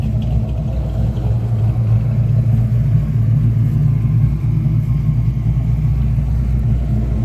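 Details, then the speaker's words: Fox body V8 after the fix, with a deep, even rumble that holds steady under light revving and no stumble or break-up. It had misfired and broken up badly while driving, caused by bad fuel injectors that were replaced; it now runs clean. "but yeah I just want to let y'all know a quick update it work me pretty good I'm not going to lie but we got it"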